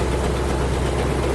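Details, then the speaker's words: 1974 International Fleetstar ex-firetruck, low mileage, 9-liter gas engine with 5-speed automatic, just started after sitting a couple of years: deep, even chug at about 450 rpm idle, no knocks, mean-cam sound; oil pressure good, running healthy. "All 9 liters chugging along. That thing's idling at like 450 RPM. What do you think? Good. Sounds like it's got a pretty mean cam."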